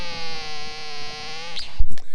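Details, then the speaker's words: TIDRadio TD-H8 Gen2 dual-band handheld radio transmitting on high power: a steady buzzy, reedy whistle for about a second and a half, then cuts off; unwanted tone on transmit, only on some frequencies and mostly absent on low power. "I'm sure you can hear that it emits a certain sound or tone now it doesn't do it on every frequency"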